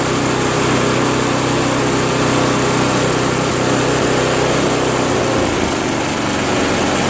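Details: Craftsman push snowblower, after a carb clean and after its seized electric starter ring gear was freed with penetrating oil: the starter spins, the engine catches and settles into a steady, fairly even idle with a busy chatter; it starts and idles normally after long sitting.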